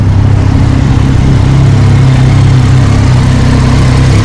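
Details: Triumph Daytona 675R motorcycle after an oil change with no leaks, ridden on a chilly 50-degree November day: steady, even low thrum with smooth firing and no knocks, ticks or rattles; healthy idle.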